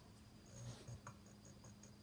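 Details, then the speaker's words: Magnum MS2012 inverter on a 400 Ah 12 V lithium bank, turned on with no load; it shows no fault codes but gives low AC output. Faint, quick, high ticks repeat about five times a second over a hum. The owner is unsure whether this is normal. "if I turn the inverter on for starters it makes a pulsing sound"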